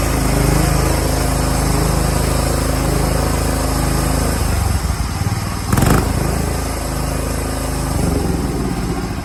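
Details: John Deere 175 Hydro lawn tractor, previously a no-crank and stuttering start, fixed by installing a starter relay. The engine catches and settles into a steady, even low beat with no misses or knocks: healthy.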